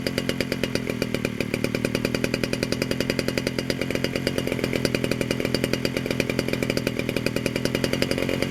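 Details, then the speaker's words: 1947 Danarm Junior Mk1 chainsaw, first extended run after full restoration (new bearings, coil, condenser, timing set), fed a drop of fuel with no tank fitted, fires at a steady fast even beat; it runs and the clutch operates. "There's only a drop of fuel in the pipe, so there's no fuel tank yet. There she is, she runs, and the clutch operates"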